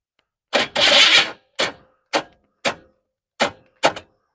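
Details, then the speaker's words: 1988 Chevy S10 Blazer, abandoned, first start attempt: seven short, harsh grinding bursts with silence between and no cranking rhythm, as the starter keeps catching and dropping out; owner says the starter is sticking and no good. "Bo that starters not good who all right turn key off dummy me"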